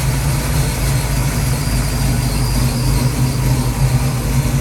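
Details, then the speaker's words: Ford 289-based 331 stroker V8 (Mustang) after rebuild, idle stop cranked in: deep idle that lopes and wavers; header temperatures checked, no misfire found; idle mixture screws need adjusting; rough idle, mixture out of adjustment. "i checked the temperature on all the on the headers make sure that was not misfiring but i definitely need to fix that mixture so uh i'll do that tomorrow"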